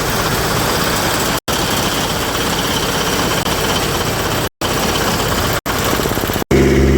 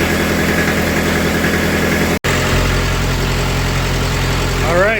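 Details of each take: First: Kubota F3680 diesel 4x4 72-inch mower bought at auction: rough, stumbling run with cut-outs, blowing heavy black smoke; owner thinks a weak battery starved the fuel pump during cranking, running it out of fuel and putting air in the lines. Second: Kubota F3680 diesel 4x4 mower after reassembly, injection lines reinstalled and bled: settles into an even, steady idle with a smooth low thrum, no misfire or knocking; owner hopes this fixes a burning coolant issue; normal idle.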